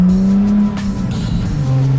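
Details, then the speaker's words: Infiniti G35 coupe driving: loud, raspy drone, louder than stock, from a hole in the rear exhaust that keeps breaking after welding; owner notes loss of power and plans to refit the stock exhaust. "The exhaust that I got right now, I got a hole right here somewhere in the back, and every time I take it to the exhaust shop, they weld it, but it ends up coming off. So that's why my car sound loud."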